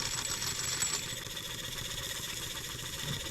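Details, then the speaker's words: German showman's steam engine on a trial run on steam at about 2.25 bar, after noisy gears were removed: light, quick, even chuffing of about four beats a second with a soft hiss and no gear clatter; normal smooth running. "taking noisy gears out of there listen to how smooth that thing runs"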